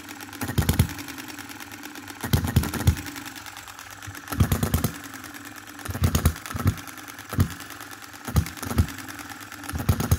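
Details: 2022 Enjomor Chinese hit-and-miss engine after valve timing correction (exhaust opening just before, closing just after exhaust stroke), extra governor weight lead and a small adjustable spring for quicker latching. Firing pops every couple of seconds with quiet coasting, latching cleanly; normal hit-and-miss running.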